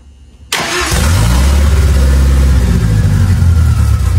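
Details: Ford 2.3L turbo Lima swap on a new PimpX batch-fire engine management computer, started to warm up for base timing check: fires after a brief crank and settles into a steady, even idle with deep exhaust note.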